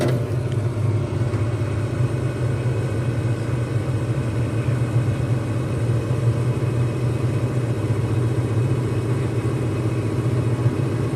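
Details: Lennox furnace on a loud-noise service call, noticed over a weekend: loud, steady low roar from the inducer fan; worn inducer fan motor needing repair.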